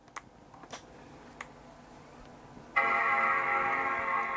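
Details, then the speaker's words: Apple PowerBook from a for-parts/not-working job lot (PowerBook G4 12-inch aluminium or G3 Pismo), power button pressed on charger: faint clicks then bright clean sustained startup chime, hard drive and optical drive spinning; normal startup. "We have a chime, and I can hear a hard drive spinning. I can hear an optical drive spinning."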